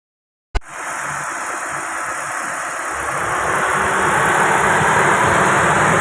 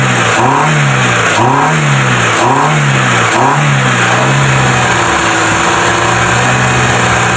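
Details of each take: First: Proton Wira with a dirty throttle body at low, unstable idle: hissy intake rush and a slight uneven rise, causing stalling, low RPM and no power; the throttle body is then serviced and cleaned. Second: Proton Wira after throttle body cleaning, fixing low idle, stalling and no power: four quick throttle blips rise and fall cleanly, steady idle holds without dipping before another rev; running smoothly.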